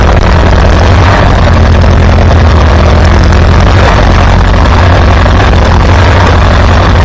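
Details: Farmall B tractor after replacing a weak ignition coil; loud, steady low chugging with an even beat throughout, no misses or knocks, running smoothly with good power and good oil pressure.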